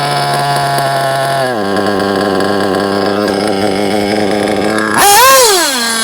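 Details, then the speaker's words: JQ Products THERTR nitro RC engine during break-in, after two tanks of idling: a high buzzy idle that sags and wavers, then a hesitant blip; low-end needle leaned too far, causing a bog on acceleration. "so I'm going to close that screw a bit I lower the idle at the same so if I lean the botom in too much it's going to want to bug I'll show"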